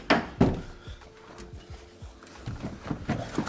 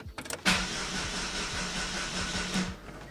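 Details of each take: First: Daewoo after refitting starter with replaced solenoid: short bursts of cranking, then engine catches and settles to steady idle. Engine cranks and starts. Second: Daewoo after its starter solenoid was replaced and the starter reinstalled: the starter spins the engine at an even, brisk pace for about two seconds, but nothing fires or catches; cranks but won't start, cause unknown.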